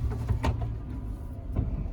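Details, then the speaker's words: 2000 Chevy Silverado 1500, just started and moving after a shifter cable replacement. Low truck rumble with a few sharp clunks from underneath as it moves: a worn U-joint clunking. "Feels good. You can hear that U-joint clunking away down there."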